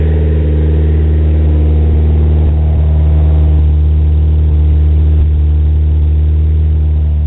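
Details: Rebuilt 440 awhp 1G Eagle Talon TSi DSM with 160 psi compression on all cylinders, a Kevlar Extreme timing belt and new genuine Mitsubishi covers, pulleys and front case. A steady, even idle with a deep smooth hum and no knocks or ticks is a normal idle.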